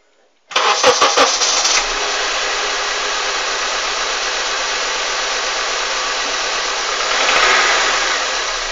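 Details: Honda CR-V idling with the fourth ignition coil removed: steady, fairly rough idle with a light irregular knock about three times a second that stays, seemingly louder, with that cylinder dead; engine knock.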